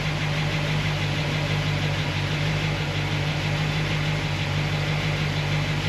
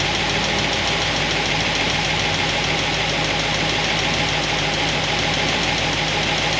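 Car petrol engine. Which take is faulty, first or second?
second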